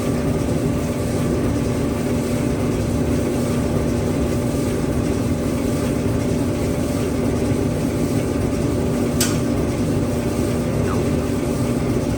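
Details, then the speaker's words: An old Maytag gas dryer, unused for a while, hooked up to a natural gas line with the panel back on, is now heating. It gives a constant low rumble with a steady hum as the drum turns evenly, running normally. "put the panel on and now it's working it's hot yeah it's hot in here it's working now"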